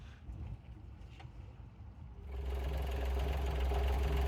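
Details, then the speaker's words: New replacement diesel engine in a travelling camper truck: a regular clacking of about four per second over a steady hum at about 2300 rpm, not at idle, feared to be a rod knock. The cause was the metal viscous-coupling fan striking its metal shroud. "c'est que c'était le ventilateur donc le viscoocoupleur qui est en métal qui vient toucher une protection en métal et que un certain régime donc c'est même pas quelque chose au ralenti ou régulier c'est c'est régulier mais à 2300 tours minutes"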